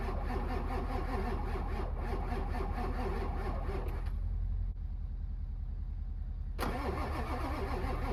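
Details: Apparently the Ford 7.3 Powerstroke diesel with 740k miles, not started in months, being cranked in winter: the starter keeps chugging at a steady rhythm for over eight seconds without the engine firing; long, hard crank.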